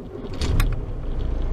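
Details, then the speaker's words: Diesel truck started at night after batteries were refilled with anti-oxidation fluid, 24.5 V at ignition: short crank, catches at once into steady deep rumble; clean, easy start. "запустилась отлично и запустилась просто отлично"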